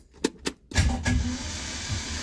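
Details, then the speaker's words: 1968 Datsun 1000 shed find, starter refitted and cranked on the key in neutral. Two sharp clicks, then the starter bites and turns the engine over at an even churning crank with no grinding, fan spinning. Normal cranking. "we have a starter motor that's engaging and is the engine actually winding I can see the fan spinning"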